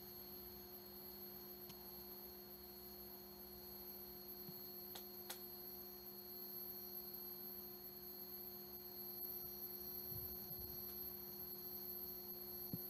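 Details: Vintage 1976 Bulova Accutron 219 watch: a steady, pure high-pitched hum with no ticking, wavering or rattle; tuning-fork movement running normally.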